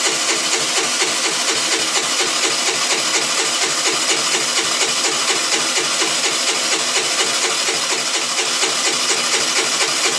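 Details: 2008 Baotian Tanco 50cc 4-stroke scooter, hard start; rapid even buzzing churn about two beats per second, starter cranking on and on without catching. It can take 12 minutes to start.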